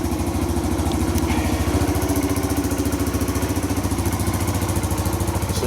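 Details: 2017 Kawasaki KLX140 after the leaking clutch-side engine cover was refitted without gasket sealer: a steady, even single-cylinder putter at idle with no miss or knock, so it idles normally.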